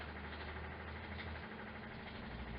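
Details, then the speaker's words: 1968 MGC GT automatic, woken from long storage: electric fuel pump flushing fresh high-octane fuel through the lines, a quiet, steady whirring hum with no surging or stutter; pump running evenly. "Pump some of that fuel through there. There we go. This should be fresh high test here, guys. So we're just going to let that run for a minute."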